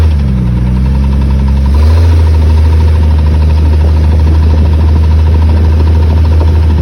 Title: 97 XJ 4.0 clicking/ticking noise while accelerating